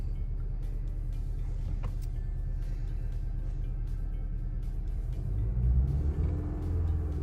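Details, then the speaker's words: 2014 Honda Civic in limp mode with a P0302 cylinder 2 misfire code: deep, uneven idle that stumbles and surges; the misfire is checked for moving to another cylinder to confirm a failed ignition coil. "hopefully it's going to show us that it's the different cylinder misfiring now and uh hopefully that will pretty much boil it down to ignition coils and we'll just have to get new"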